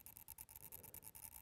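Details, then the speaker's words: DJI Mavic Mini after crashing into a tree, camera no longer controllable: faint quick buzzing pulse about eight times a second from the crash-damaged gimbal motor. "so the camera is making a funny noise now normally you should be able to control this from the gimbal"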